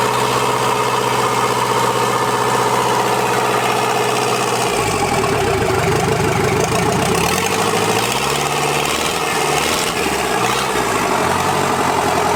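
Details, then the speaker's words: Toyota LandCruiser 40 series B diesel engine, first start after rebuild, on engine stand: smooth even idle, picks up cleanly on a brief rev and settles back, good compression, no knocks or misses; normal idle. "i'm mighty happy with how the compression sounds in this motor and how it runs it sounds like an absolute peach"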